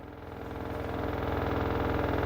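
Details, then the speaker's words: LG F4V5RGP2T washer under one year old, loaded with dry cloth, about 10 minutes into spin cycle: deep droning roar with fast pulsing beat growing louder as drum speeds up; abnormal loud spin noise, cause not found. "This is the noise from the machine, abnormal noise while running"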